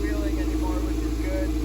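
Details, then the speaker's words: Toyota MR2 on a cold start after the alternator was replaced: smooth, even idle with a steady low hum, slightly high idle, and the previous squeal gone. Engine running cleanly. "all right we just turned it on 100 sounds so much better already it sounds good some strong we don't have that squealing"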